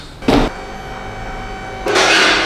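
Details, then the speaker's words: 2017 Buick Envision after rear wiper motor replacement, tested on intermittent: two short, even whirring sweeps with no grinding or catching; the new motor works properly. "Looks like it's working."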